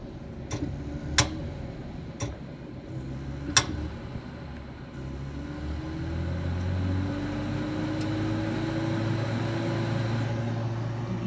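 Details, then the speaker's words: Home gas meter and pipes making intermittent popping clicks, which persisted even after the meter was replaced: the furnace fan sounds starved for gas, surging over a low, wavering hum, then roars steadily at full blast once the clicks stop. The cause is unknown. "So now if you listen to my furnace, it'll sound like it's kind of being starved for gas. I don't know if you can hear the fan kind of going vroom, vroom, vroom."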